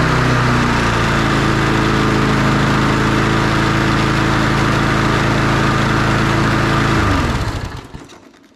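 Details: Briggs & Stratton engine on an MTD Lawn Chief push mower, just fixed after a no-spark issue (coil works), runs well but holds a steady fast high rev without settling to idle; throttle stuck open, gummy on the carburetor.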